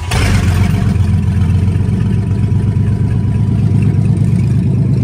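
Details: GMC truck abandoned 15 years: engine revs strongly and evenly without stumbling or dying after exhaust, clogged with cat food suspected to have been stuffed in by rodents, was removed at the manifold; runs normally.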